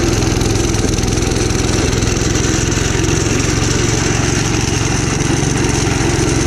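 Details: Gravely Commercial 12 34" Snow Cannon snowblower, cold start after about a month unused, full choke applied by hand: lumpy, uneven running, beat wandering instead of settling; rough running, possibly from fuel starvation.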